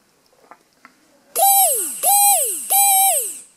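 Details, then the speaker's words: Good brushed micro quad motor (Tiny Whoop-type), run directly off the battery near the mic for comparison: three short bursts of clean high whine falling in pitch as it coasts down, smoother than the rough bad motor. "All right, so you can clearly hear the sound on this motor is smoother than the other one."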